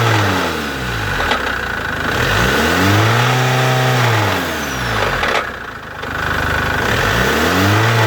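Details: Chevrolet Captiva 2.2 diesel: the engine revs up and settles back repeatedly with a rough, uneven drone underneath. Engine noise whose cause is suspected but not confirmed.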